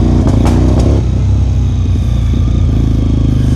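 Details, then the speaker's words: Neglected Suzuki TL1000R V-twin after service and clutch slave repair, first ride in first gear: uneven, stumbling beat with dropped pulses at low revs; misfire, owner suspects one or two clogged injectors. "It's got a bit of a misfire. It could be most likely a clogged injector or two."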